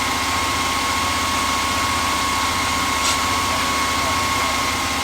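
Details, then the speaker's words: 1978/79 Ford F150 V8 that sat for years, first start-up with some oil pressure, fuel from the rear tank and no coolant yet: steady even idle with a regular beat and no knocks or misses; normal idle before a bent pushrod occurred. "when we originally fired it it didn't have a bent pushrod it idled real smooth revved up real fine"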